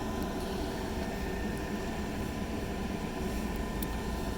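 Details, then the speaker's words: Tesla Supercharger V3 pedestal in Metter, GA, on a 46°F evening while charging a car: steady, even fan whoosh with a faint hum and no rattle from the stall; the owner believes it comes from cooling for the liquid-cooled cable. Normal cooling fan. "I don't know if you can hear this but there's actually a fan noise coming from the super charging pedestal which I believe is from the water-cooling that's in the cable"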